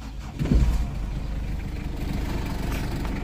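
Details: 2005 Ford Everest 2.5 TDi manual diesel, turbo and intercooler, conventional injectors and mechanical pump, no OBD: quick crank and catch, then steady, even diesel clatter at idle with no misses or knocks, said to resemble an L300; normal start and idle.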